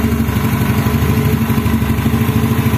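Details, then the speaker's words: Yamaha Mio scooter with DC ignition, run off-frame on Pertamax fuel with homemade wiring and battery-fed CDI (dies when battery drops): steady single-cylinder idle with regular firing beat, no knocks or misses; running smoothly. "Oke ini sepeda motornya sudah menyala ya kita menggunakan seperti ini bahan bakarnya"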